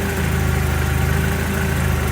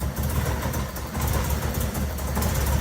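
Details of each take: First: MX5 / MGB with newly fitted supercharger kit, first start after install: steady, even low idle with smooth hum, no belt slap or squeal; lower belt looks close to pulley edge but not slipping. Normal idle. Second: MGB with supercharger belt disconnected and set back to standard, another airflow meter believed killed, owner suspects meter placed after rather than before the supercharger: loud, lumpy running never settling, then shuts off.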